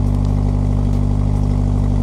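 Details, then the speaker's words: Mk2 VW Jetta idling after new exhaust: steady even idle with a soft mellow low tone, no puffing or ticking. Nice and quiet, a little tone; exhaust sealed and healthy. "Way better sound than before. Nice and quiet, a little bit of tone. I'm good with it."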